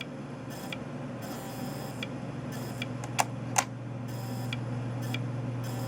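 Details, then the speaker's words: Bondwell B310 286 laptop, powered on after reassembly: low hum with sharp ticks and hissy bursts about every half second as the drive tries to spin up; power supply not supplying enough power suspected. Finding: repeated ticking at power-up. "he totally spun up for just a second earlier oh there goes oh oh no no no there we go come on yeah it's trying"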